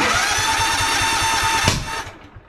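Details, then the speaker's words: Toro TimeCutter Z5035 V-twin zero-turn mower with loss of power, one spark plug unplugged: rough uneven thump on the remaining cylinder, then a sharp backfire pop before it dies, showing that cylinder is not operating properly. "that's always good nothing like a backfire at 4 45 in the morning and wake the neighbors up uh this cylinder is not operating properly now why is that"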